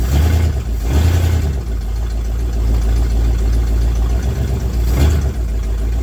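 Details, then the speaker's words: 1979 Ford F-100 sat for years, carb bowls filled and running, in snow: deep low V8 rumble at even idle with slight rises and dips; normal idle, runs good. "She runs good."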